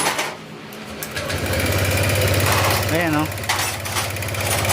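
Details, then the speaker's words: Honda Click 125 V3 scooter idling, still smoking after a recent repair: fast sharp loud valve train ticking blamed on worn valve guide that was not replaced, causing exhaust smoke despite new block. "Lalo kung ganyan tunugan tunog bulb guide uusok at uusok yan siya sa ano tambutso."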